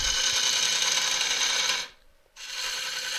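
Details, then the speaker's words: Large elm burr bowl on a Vicmarc VL300 lathe, hollowing the middle: hissing cut broken by hard clunking knocks about three a second as the tool meets the irregular burr wood; interrupted cut. "You can hear the wood on there. That's really, really clunking hard."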